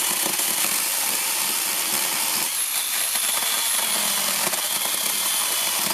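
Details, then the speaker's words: Fake Makita DUC302Z cordless brushless chainsaw after repair of cutting out and bogging, tested on one battery; steady even high-pitched chain hiss through wood with no bogging, normal cutting. "Все працює, навіть на одному акумуляторі, тому тест пройдений."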